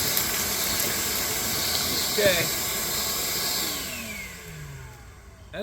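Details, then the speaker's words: New cordless Ryobi 6-gallon wet/dry shop vac picking up a thick pile of gravel through the wand: strong steady rushing hiss with rattling debris, then motor winds down smoothly; normal suction. "a pretty thick pile of gravel that was pretty quick I'm impressed"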